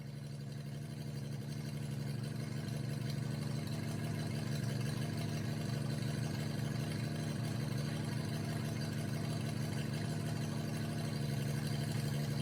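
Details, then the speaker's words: 1988 Jeep Comanche MJ 4x4 revived after years sitting, warm idle; loud raspy blat from exhaust leak where the pipe is cut under the cab at the first bend, not the header; motor itself runs evenly and sounds healthy. "It's not the uh header that's leaking or anything like that. Uh the motor itself sounds really healthy, but the exhaust sounds terrible."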